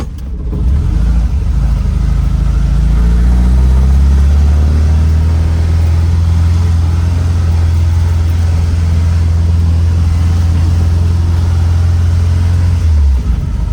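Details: 1967 VW Type 3 Squareback, first drive after engine install; deep steady drone rising smoothly as it pulls away, even beat under load, no knocks or misses, feels more powerful than before, healthy engine under acceleration.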